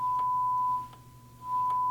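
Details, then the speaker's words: Marantz 2245 receiver, bought for parts from eBay, after cleaning: steady mid-pitch test tone, brief dip switching channels, equally clean on left and right; no crackle, controls behaving. "So, that sounds a lot better already."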